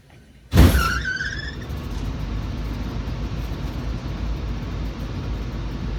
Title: Start Up Of Rheem A/C Blower Uint | Loud Noise On Start Up